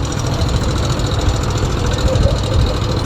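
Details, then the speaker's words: Lexi scooter with a 60 mm big-bore piston fitted at another shop, idling with a rough, rapid low knock resembling crank noise; on teardown a broken cam bearing, sealant in the water passage and thin oil on the head were found; bearing replaced. "อันนี้ผมไม่รู้ว่าทำที่ไหนมานะครับก็มีเสียงเหมือนอาการข้อเหวี่ยงดังนะครับแต่จริงๆแล้วไม่ใช่อาการเสียงของข้อเหวี่ยงนะครับผมก็ทำการรื้อนะครับสันนิษฐานไว้เบื้องต้นคือลูกปืนแคมแตกนะครับ"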